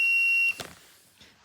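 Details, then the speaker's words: Fiat 238 camper van oil pressure switch (rated about 0.3–0.35 bar) bench-tested on a pressurised bottle: at zero pressure it beeps steadily, as the red oil light does at ignition-on; the switch closes correctly at low pressure. "as you'd expect this is beeping which is why when you first turn the ignition on in your car you red oil light will come on to test that it's actually working"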